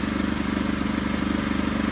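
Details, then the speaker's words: Predator 212 swap, running with no chain while breaking in for 30–40 minutes at varied rpm: quick light metallic tapping in time with the engine as the torque converter hits its housing; fix is a washer behind it. "That sound you hear, that's the torque converter. Ain't no chain on it. I gotta put a washer behind it, nevertheless. It's tapping on the housing."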